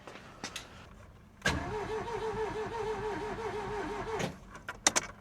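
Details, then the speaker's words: Ford Taunus/Cortina fastback coupe, Pinto engine, unstarted 40 years: cranking with cam cover off, distributor cap off, spark plug back in; about three seconds of even, steady beat, no earlier clatter; compression sounds normal. "Sounds fine again now. How very, very weird. Don't get that."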